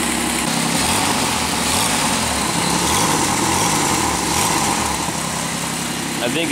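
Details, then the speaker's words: 2001 Pontiac Aztek GT, 170,480 miles, sat a year, started in 19-degree cold: raspy idle with quick uneven puffing tick about four a second; owner suspects exhaust leak, probably at the exhaust manifold, unconfirmed. "can kind of hear where it sounds like there is an exhaust leak down there probably in the exhaust manifold"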